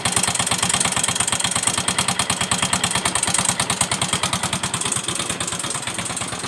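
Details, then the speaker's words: Yamaha Mio M3 125 scooter, overdue oil change, customer complains of noisy engine and hard starting: harsh rapid metallic tapping every stroke at rough uneven idle, loose connecting rod knocking from oil starvation. "Nah, jadi itu bunyi mesinnya itu kasar sekali ya. Bunyi mesinnya tuh kasar. Tek tek tek tek tek tek."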